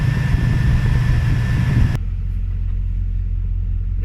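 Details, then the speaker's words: 2003 GMC Sierra V8 just after reinstalling the clutch fan, which had a shake. A deep, even idle rumble with a steady low drone and no knocks, ticks or squeals: normal idle. "i'm going to fire the truck up now make sure that everything looks and sounds good"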